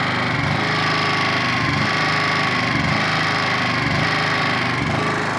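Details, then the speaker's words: Honda EP1000 petrol generator just after a cold pull start with the choke released. A steady, even single-cylinder buzz at constant speed with no misses or knocks; it is running normally. "ஓட ஆரம்பிச்சிச்சு."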